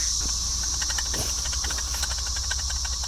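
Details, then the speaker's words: 2015 Chrysler Town and Country 3.6 Pentastar, over 200,000 miles, removed serpentine idler pulley spun by hand: gritty hiss with uneven ticking and no smooth coast-down; worn bearing, owner judges it needs replacing. "listen to that yeah I think that needs to be changed"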